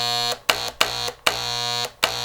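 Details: Harbor Freight paint gun (Wagner-type power sprayer) freshly cleaned, reassembled and loaded with paint: a steady high buzzy drone in short trigger bursts with clean starts and stops; normal spray operation.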